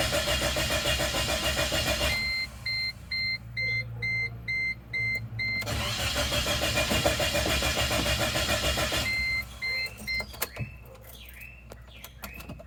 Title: Chevy Tracker '98 crank no start